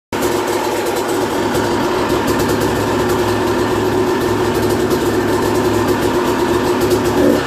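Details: 2001 Yamaha YZ250 two-stroke, first start after new top end, jets and service (compression had been 100 psi): crisp steady even idle without misses, quick rev blip at end; normal running.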